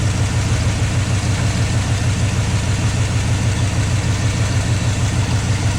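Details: 1972 GMC 1-ton ramp truck with a 454 Chevy big block and TH400 automatic, revived after sitting about 27 years. It settles into a deep, even V8 idle with a steady low rumble and no ticking or knocking. Oil pressure is pegged; the engine idles normally.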